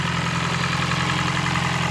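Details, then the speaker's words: 2006 Toyota Prius, high mileage, just after DIY spark plug change: steady low idle with faint uneven pulse under constant hiss; rough-sounding idle, owner attributes it to many miles. "yay doesn't sound the best but what can you say she's got a lot of miles on her"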